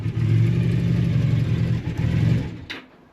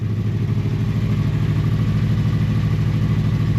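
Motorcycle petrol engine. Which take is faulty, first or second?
first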